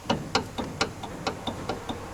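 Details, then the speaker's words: Kia Sportage 3rd gen 4x2: sharp, dry ticking knocks, about four a second, as the sway bar is rocked up and down by hand; sway bar end link knocking because its top nut was not tightened; tightening it cured the play. "стучит стойка стабилизатора на стабилизатор возьмем и верх низ покачаем а"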